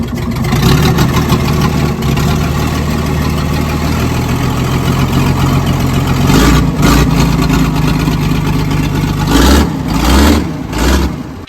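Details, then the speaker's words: Old diesel loading shovel abandoned 18 years, run on ether with throttle held up by a cable tie: rough, uneven lumpy beat with one cylinder dropping out because a valve is still sticking; rocker cover removal planned. "we'll go again running on around nothing that valve is still sticky but we can look at"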